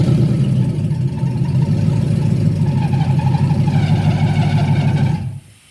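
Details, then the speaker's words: Lexus IS300 with swapped 1UZ V8, first start on base map: loud rough run with heavy low rumble and rattle from rear bottom of bell housing, worse when releasing clutch; bell housing noise, cause unknown. "and when it started the first time there was a hellacious noise coming from the rear bottom of the bell housing area I'm not sure what it was"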